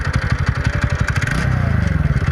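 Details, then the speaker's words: TVS NTorq XP BS6 scooter at idle: quick, steady metallic clatter riding on the engine beat, caused by a loose starter (self) bearing nut rattling. "ये sound बारी self bearing नके नट loose हो कारण आवाज"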